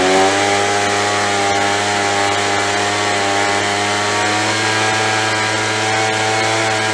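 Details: After carb cleaning, carb kit and trigger modification so throttle fully opens and closes, Craftsman (MTD) B2000 25cc two-stroke blower (had "wont stay running"): steady high buzz eases down as throttle drops toward ~2700 rpm idle, no surging or stumbling; fixed, running normally.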